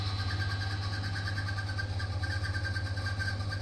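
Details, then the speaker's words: Bosch dryer with a broken drive belt, machine switched on: only a steady motor hum with a light pulse is heard, with no drum tumbling. The motor spins but the drum doesn't rotate, and the drum turns freely by hand and is not stuck. "You can hear the noise. Machine not rotating, drum not rotating, but the motor rotating noise only we can hear."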